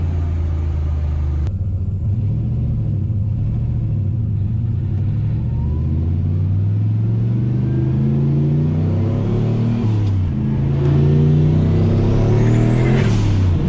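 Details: Turbo C10 truck after a misfire fix: cleared plugged screens in two or three fuel injectors fouled by tank dirt, plus resurfaced heads with a valve job. Steady idle, then smooth revs climbing and falling evenly with no stumble or miss.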